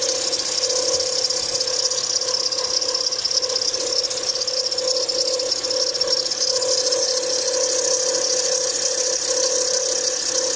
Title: Bad tensioner bearing Acura TL 07 Type S